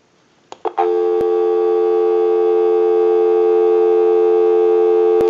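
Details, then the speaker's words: Automatic Electric rotary dial desk telephone after repair, in final checkout, heard through an amplified pickup on the network at the back, with a line out via the switch box: a clean, continuous, steady low tone. Normal dial tone. "we'll call a time and temp number go ahead and give you some dial tone"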